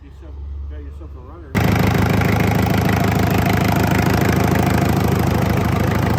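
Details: 1970s Isuzu C240 diesel for a sailboat, bench-tested on first start after bleeding air from the fuel system; turns over, catches at once and settles into a firm, even idle clatter, healthy.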